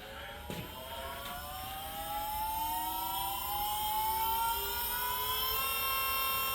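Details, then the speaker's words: 1965 Ford Mustang with an electric power steering pump run by a Reform Motorsports controller, key on: smooth electric whine climbs in pitch as the motor spools up, then holds even; pump working normally. "but this power steering pump is working really well with that reform Motorsports thing moui that controller"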